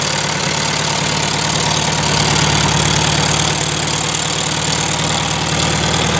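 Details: 1971 VW Super Beetle air-cooled flat engine after valve adjustment (all too tight) and carburettor cleaned several times; steady even idle with usual busy clatter, no hunting; owner thinks debris blocked the tiny jet by the 60 idle jet.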